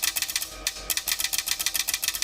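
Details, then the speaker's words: Acura RDX fitted with Infolight 2 Pro lens, high-beam shutter wired through owner's own circuit to avoid half-glow PWM buzzing: with 12 V on the red wire, crisp rapid clicks in quick bursts, no buzzing; shutter switches cleanly and quickly. "У нас тут це 12 в приходить все клацає все працює все швидко"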